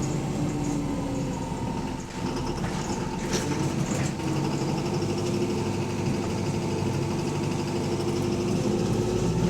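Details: Bus AL HV48 on route 335: heavy diesel rumble under load with a dull, fairly steady knock running through it, typical of a worn rod bearing; rod knock.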